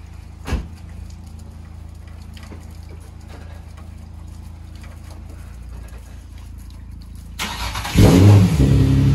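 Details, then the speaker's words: Nissan 350Z after engine swap, first cold start at about 10 degrees outside, some smoke, headers, not straight piped: quiet steady low idle ticking evenly, then revs rise into louder smooth run; normal cold start idle. "all right guys so we got the car outside um i'm letting it warm up seeing if it doesn't overheat and stuff like that so as you can see it's a cold start it's like 10 degrees outside so it's smoking a bit"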